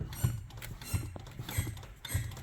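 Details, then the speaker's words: Car with a new clutch, pressure plate, pilot and throwout bearings and resurfaced flywheel, after a shop's repair attempt: a dull creaking thump repeats as the pedal is worked. The pedal is much heavier and sometimes won't go fully down; cause unknown. "that's a pretty concerning sound and I'd like to add the clutch is significantly heavier than it was beforehand"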